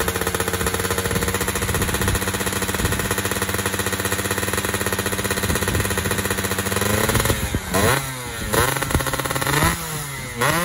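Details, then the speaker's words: Fizr two-stroke test-ridden after upgrading to a PWK28 carburetor: a rapid crackle at steady revs, then blips where the pitch rises and stumbles. Judged wet at the bottom and dry at the top, so the pilot and main jets will be changed. "Nah jadi teman-teman ini bawahnya kebasahan atasnya kekeringan jadi nanti kita ganti pilot jetnya ya sama mainnya"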